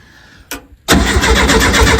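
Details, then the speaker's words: 1970 early T2 Bay Window VW campervan, first start after reinstalling its engine: a short blip, then steady quick even cranking that never fires. Owners suspect no fuel yet, with fuel only starting to trickle through; cranks but won't start. "fuel's starting to trickle through keep going it's not got any fuel yet"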